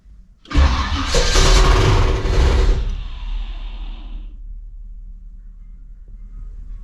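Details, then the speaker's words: 1967 Chevy Nova II started after sitting a long while: loud cranking catches into a rough idle with a faint scraping hiss. The dipstick is rubbing a crankshaft counterweight inside the engine. "Something's touching something that shouldn't be touching."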